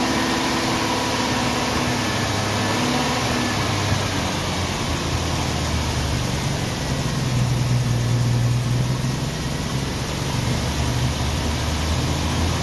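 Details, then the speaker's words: 1990 Jeep Wrangler carbureted engine with prior serious vacuum leakage, started in neutral without bottle-feeding fuel: low idle thumps unevenly and stumbles with no steady beat, missing and shaking badly, then stalls. "like he's missing shaking like the dickens and quit me so"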